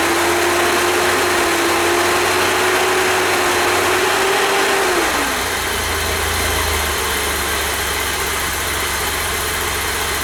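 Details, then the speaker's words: 1988 BMW E32 735iL, M30 B35 inline-six, first start after engine rebuild, fuel pump primed: smooth, even idle with tone dropping as revs settle, no ticks or knocks; healthy. "I have to say I'm quite happy with that."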